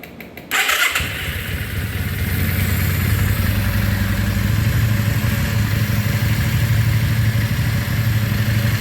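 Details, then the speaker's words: 1994 Yamaha Virago 535 V-twin with single-carburetor conversion kit, after fuel tank flush, petcock rebuild, regulator and clutch replacement: catches right away, settles into a steady, even lumpy idle that firms slightly; no stumble or rattle, runs fine, just back from a ride. "It actually runs real good. I just got back from a ride, and that single carb is working awesome."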